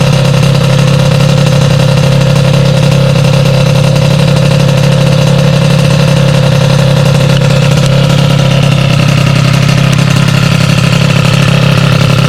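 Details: Sym DD50 scooter with Polini Corsa Mini built engine, jetting corrected after no-start issues: crisp steady two-stroke burble with even idle and revving, no misses or rattles; running healthy.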